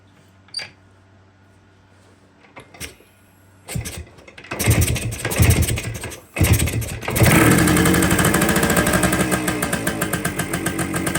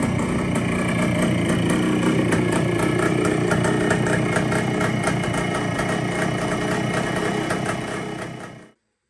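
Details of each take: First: 1973 Kawasaki 175 two-stroke stored since the mid-80s, cold start: it crackles to life, then holds a fast, busy buzz instead of dropping to idle. Owner suspects a worn carburetor mounting boot and a slow-returning slide with a faulty throttle cable. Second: 1973 Kawasaki 175 two-stroke, sitting since the mid-1980s, after carburetor cleaning: even, steady idle with a quick regular beat and no top-end knocking or rattling; sounds healthy, throttle cable still stiff.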